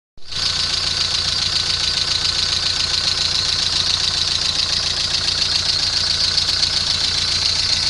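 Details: VW Golf 3 engine at steady idle with a busy, sharp metallic clatter on top, sounding noisy up top; abnormal engine noise, cause unclear.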